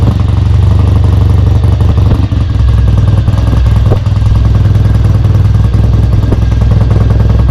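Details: Kawasaki W1 twin, first start after restoration, carb being set up: thumps along unevenly and stumbles, won't idle off choke; idle circuit is clear, owner suspects a vacuum leak or a too-small pilot jet.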